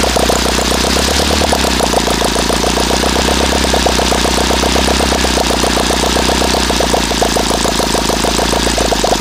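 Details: OS FT-120 II glow engine on RCEXL ignition, Omega FAI fuel, 18x6 Master Airscrew, final run before a new carb: fast, even high-pitched buzz held at speed with a sharp edge; needle set too lean.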